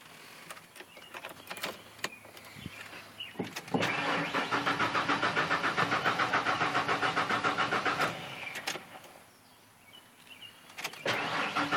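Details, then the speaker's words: Truck's first start attempt in 2 years after new gas was just added: the starter cranks steadily, about 3.5 beats a second for four seconds, but the engine never catches. Owner suspects not enough gas. "Dang it, doesn't have enough gas."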